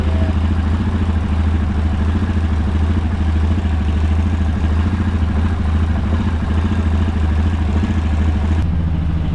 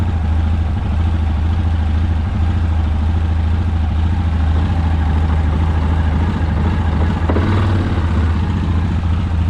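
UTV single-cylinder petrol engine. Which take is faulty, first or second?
second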